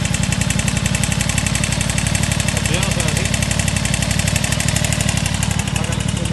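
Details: Aprilia RS660 at idle: a fast, steady tapping of about four per second over the engine note. The knocking noise's source is undetermined.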